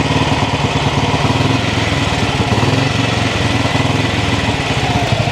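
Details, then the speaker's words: 1959 Ariel Red Hunter single-cylinder motorcycle, just started after sitting: a steady, regular single-cylinder idle thump with no missed beats. It is running cleanly and well, then is shut off by pulling the compression release because it has no ignition switch. "is no ignition on this bike, so we'll just pull the compression release to turn it off. Sounds like it's running well."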